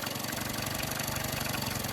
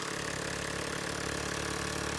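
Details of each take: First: Yamaha 9.9hp outboard after primer bulb replacement, with the idle speed screw turned down: low, slow, even putter with steady firing just above cutting out. Normal low idle. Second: Yamaha 9.9 hp outboard with a new primer bulb replacing one with a broken valve: fast, busy, steady idle at about 3.5 beats a second. The idle is set too high, though the cooling stream flows at this speed; the idle screw is turned down afterwards.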